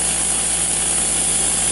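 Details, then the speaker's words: Small compressor pumping filtered, cooled wood gas into a propane cylinder at about 55 PSI: a constant loud hiss over a steady motor drone from many air leaks; owner suspects a blown head gasket. "we got so many leaks on this little piece of jump suppressor you can hear it but I think it's got a blown head gasket"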